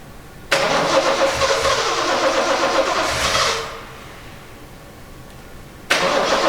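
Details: 1970 Triumph TR6 restored engine, first start with oil system primed, timing set and choke cable not connected: starter grinds, engine catches briefly and dies, cranking resumes, then it runs; hard to start, not very smooth once running.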